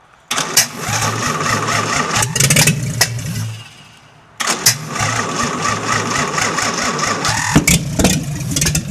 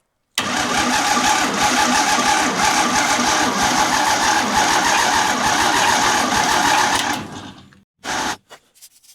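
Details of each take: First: 1952 International L130 pickup (ex-snowplow doodlebug) stock engine, first run after years sitting, no muffler: loud raw open-pipe idle with a brief dip and quick catch, then steady firing after freeing stuck throttle and sanding points; normal idle. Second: 1952 International L130 with its stock engine, sitting idle for years, vacuum wiper line plugged, battery partly recharged: several seconds of even starter cranking with no firing; crank-no-start from no spark at the plugs or distributor points.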